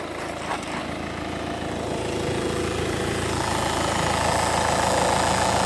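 Diesel idle with a steady, regular tapping about three or four per second from the front of the engine, near the timing drive.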